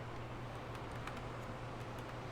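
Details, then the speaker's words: Tower fan motor after disassembly, cleaning and lubrication, bench-run outside its housing: low, steady hum, even run, no squeal or scraping; motor sounds healthy. "And if you want to go ahead and plug it in and see if it works. I don't hear any squealing."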